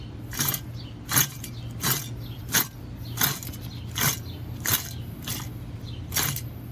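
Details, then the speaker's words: Front wheel hub bearing (2007–2010 vehicle) removed and turned by hand, with play in it; gritty metal scraping surges about every three-quarter second, a worn-out bearing, replaced with a salvaged part. "it is it is scraping metal uh you can kind of hear the metal inside that's how bad it is"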